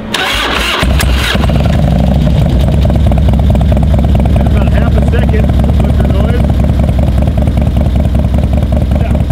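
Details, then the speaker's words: Harley-Davidson Twin Cam 88 first start after Feuling cam chest install with ThunderMax tune: catches and settles into lumpy V-twin idle, faint early lifter rattle while pre-soaked lifters pump up with oil, normal, may last up to 20 minutes. "you hear the little rattle at the beginning normally they'll rattle for a while sometimes they say they can round up to 20 minutes in the direction until they fully pressurize"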